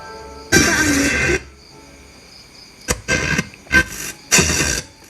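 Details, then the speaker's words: Seico SA-126TE 1990s tape deck radio, after replacing 10.7 MHz ceramic filter at IF amplifier input: FM now receives stations but audio is rough and distorted as if mistuned; readjusting FM detector transformer changed nothing. "Hanya saja suara cacat seakan dial gelombang tidak tepat."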